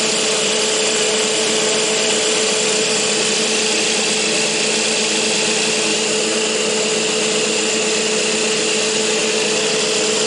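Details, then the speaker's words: Lathe with newly built bar feed tube stand: steady even high-pitched spindle whir, no knocking or rattle from the bar tube; feeder runs quietly and smoothly, normal running. "But the feed tube worked fantastic. No noise at all, no rattle or anything, which is very nice."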